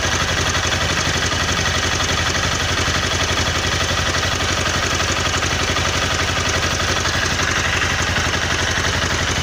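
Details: Honda CBR 250R single-cylinder idling with a steady light tick-tick clatter and knocking over the engine beat; owner doesn't know the cause.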